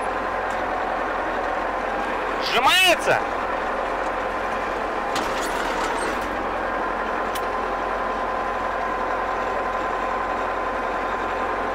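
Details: German E303 mower during drive-belt replacement, running in second transport gear. A steady, even engine drone and hum with no knocks or slipping squeal. Everything basically works.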